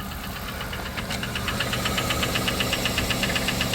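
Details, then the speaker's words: 1997 Dodge Caravan LE, about 244,849 miles, oil a quart low with metal in it, engine possibly remanufactured with prior head work: a sharp, regular metallic bottom-end knock at idle; owner suspects a spun rod bearing. "I can spun a rod or spun a bearing I think she's done"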